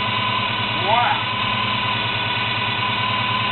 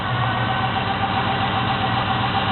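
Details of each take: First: 1972 Chevy Monte Carlo small-block 350 V8, carburetor setup before the FiTech EFI conversion, with a bad factory starter. Steady idle with a faint high whine and a slightly uneven lope. Whine of unknown source. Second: 1972 Chevy Monte Carlo small-block 350 V8, first cold start after a FiTech Go EFI self-learning fuel-injection conversion. Steady, even idle with a smooth low rumble and no knocks or misses, rpm dropping as it settles. Normal cold idle.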